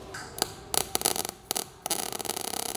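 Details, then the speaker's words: Everlast Power i-MIG 315 with CO2 gas and 0.030 ER70S-6 wire on carbon steel plate: arc starts in broken spitting bursts, then steadies into fast even crackle as plate warms; MIG arc stutter on cold start. "all right so it got a little hard start but when it's warmed up it's okay so when we first as soon as we pulled the trigger it was cold starting out you could hear it it like stuttered a little bit"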